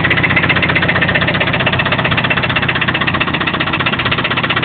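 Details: Toyota 22RE engine at steady idle: sharp, even knock about four per second; owner unsure whether it comes from the rocker assembly or deeper in the block.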